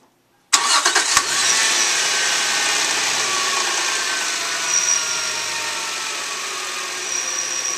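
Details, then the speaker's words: 2001 Subaru Outback, started right after an oil change to check for leaks: quick crank, clean catch, then a settled, even idle with no ticking or stumbling. Normal start and idle. "Okay, now we're going to run the engine for a couple minutes, make sure it doesn't leak."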